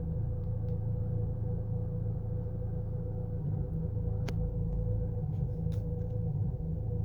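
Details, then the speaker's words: Chevy Cruze idling: low, uneven rumble with the car shaking, no sharp knocks; misfire, much worse in Drive than in neutral, cause not pinned down. "See, you can see how the car is misfiring or jerk. Totally the car is shaking."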